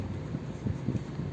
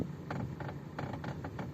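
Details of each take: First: Suzuki Vitara Brezza/Baleno (2016–2018) after electric steering rack repair for "kut kut" noise and stiff steering: only low steady engine rumble as wheel turns, no clunk, knock or groan; steering now quiet. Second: 2017 Suzuki Vitara Brezza with electric power steering: irregular sharp clicks and creaky knocks as the wheel turns, steering also hard, noise prevents highway driving; steering rack issue, knock from worn steering rack.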